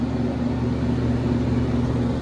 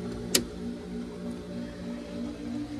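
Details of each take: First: Hayward pool heat pump, set to 90, running and heating with a temperature difference shown, fan motor replacement due next day: steady even hum with low motor drone and fan tone, no grinding or rubbing; running normally. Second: Hayward pool heat pump not heating, fan and compressor not working: steady low electrical hum with no fan whoosh building, the motor straining to turn; seized condenser fan motor.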